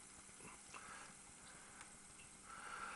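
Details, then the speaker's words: Philips N2400 tape recorder after a mechanical overhaul: the transport runs with a soft, even hush and no more screeching or rattling, spool no longer wobbling, and the motor shuts off immediately. "And as you can hear, the mechanism's running nice and quietly, and no more screeching sounds or death rattles or anything like that."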